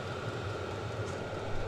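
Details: Vevor 5 kW diesel parking heater on kerosene and a 12 V battery, under 5 minutes running. Camera about 2 ft away, slightly above the blower. Even steady burner roar, constant blower hum, no sputtering or surging. Normal running.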